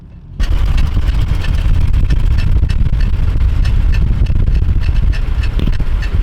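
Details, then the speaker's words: Uneven clunks and rattles over heavy road rumble at walking pace from the front brakes of a car with rear drums, heard before the fix; a front caliper suspected to be stuck. "it was like it it was distinctly loud before we did whatever we did I think I think that caliber was just stuck"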